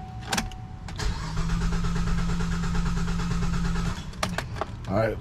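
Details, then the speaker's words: 2007 GMC Acadia salvage rebuild, long-sitting, after new battery, alternator and belt, low on gas: cranks, runs about three seconds at rough low idle then dies; owner suspects fuel pump, then adds two gallons. "yeah I hear it starts for a second it comes right back up okay"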